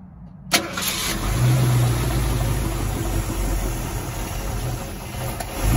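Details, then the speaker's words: Barn-find 1969 Mustang Mach 1, 302 Ford small block with Erson cam, Holley 600 carb, C4 automatic, first run in nearly 10 years: V8 catches and settles into a lumpy low idle with a dull steady knock; source unknown. "The motors are a little quieter, but the noise is still there, so the oil change didn't help."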